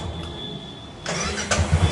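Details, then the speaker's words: Royal Enfield Classic 500 (Desert Storm), starter pressed repeatedly: brief crank with a harsh rattling clatter as the self-starter engages; starter one-way clutch bearing noise, clutch cover to be opened. "তো এইটার সমস্যাটা হলো self মারলে একটা বাজে টাইপের আওয়াজ করে।"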